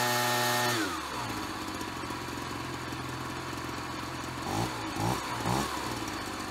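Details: Ryobi BP42 backpack leaf blower two-stroke, 4 years old, after repairing no-spark, replacing and tuning the carburetor, and redoing the fuel lines: steady buzzing idle, then three quick throttle blips climbing and dropping back cleanly; normal running.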